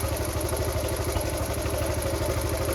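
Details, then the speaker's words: Restored Honda Cub C70 idles with an even putting beat, about three pulses a second, choke off, no misfires, after the points were fixed; the points had caused the earlier rough running. "oh my God I think it's right it's done it perfect H that was the problem yeah that was the problem it was all the points all"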